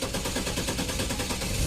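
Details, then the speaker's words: Chevy Trailblazer, hard starting after a 1,500-mile trip: even, rapid cranking drags on, only catching near the end, sometimes 15–20 seconds; fuel pressure not holding. "See, it's taking way too long. Usually it starts up, as soon as I hit the key, boom, it'll start right up."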